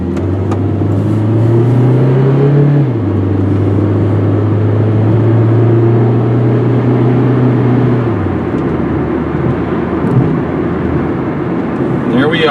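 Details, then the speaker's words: 1998 Saturn SL1 with 126,972 miles on a test drive, automatic reaching 4th gear at 55 mph: engine note climbs, then drops cleanly near three and eight seconds, smooth prompt upshifts with no flare or slip. "All right, listen up. I'm going to be quiet and you can listen to it shift."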